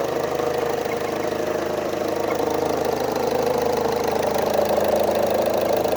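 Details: Engine with two odd noises, a rough uneven rattle and a faint midrange hum rising slightly; owner suspects the turbo and the AC, unconfirmed, with recent spark blowout under hard throttle, plugs due for re-gapping, no codes stored or pending.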